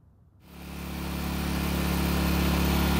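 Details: Long-stored Generac generator after the carb was sorted, powering a small space heater as a light load: it catches and settles into a smooth, even drone with a steady beat and no stumbling; running normally.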